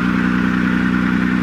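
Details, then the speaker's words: 1996 Nissan Maxima, old car with battery terminals needing cleaning: engine turned over but didn't sound right, steady, slightly uneven pulsing beat at idle that doesn't settle; rough running, cause unknown. "sure enough it turned over i don't know it's weird isn't it it didn't sound right to me"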